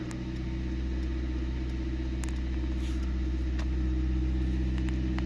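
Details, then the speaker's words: Nissan Micra K11 running right after fuel filter replacement, which had been done for lack of power and hard starting: steady even low engine hum, no misses, knocks or hunting; engine runs smoothly and feels better. "Well, that was good then. It does feel a bit better actually."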